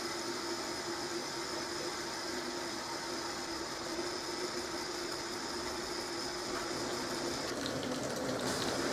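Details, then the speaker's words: Zanussi ZDT5152 dishwasher, which hummed at start-up, after repair and reassembly: even hiss of water filling immediately with a faint steady hum, no groaning or buzzing; fill valve working normally. "сразу стала заливаться вода"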